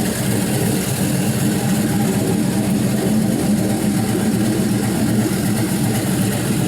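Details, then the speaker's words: LY6 6.0L gen 4 LS V8, 5.3L 706 heads, 220/224 cam with stiffer valve springs, brand-new lifters, on run stand: steady even idle with faint light valvetrain ticking expected from the cam; otherwise very quiet, normal idle. "there's going to be a little bit of valvetrain noise especially when you have a cam like this but even so it's incredibly quiet"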